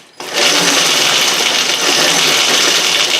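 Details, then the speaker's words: WR250E electric conversion with EBMX X-9000 V2 controller, first power-up during initial setup in mode 1: steady high-pitched electric whir ramping up quickly under throttle, motor spinning freely; normal run, throttle feels too sensitive. "Yeah, boy, it's moving."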